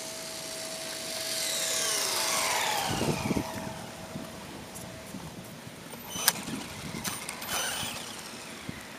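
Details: Mini E Revo RC car, after replacing rear bulkhead and rear skidplate: motor whine rising and falling with speed, sharp clicks from the rear during acceleration; cause unknown.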